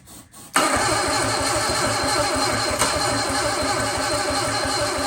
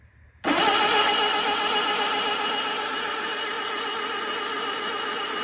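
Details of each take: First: Sunbeam Alpine 1725 engine cranking on starting fluid with the throttle propped wide open: steady cranking, no firing. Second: Sunbeam Alpine engine, cranked with a solenoid ground jumper to build oil pressure: steady, even starter whirr without catching and no clicks; strong cranking that reached 45 psi oil pressure.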